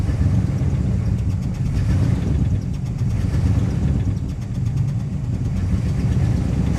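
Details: 1966 Plymouth Fury II 318 V8 at tune-up, fresh oil, wiring cleaned with contact cleaner: a low, lumpy, uneven rough idle that chugs; the cause is unknown.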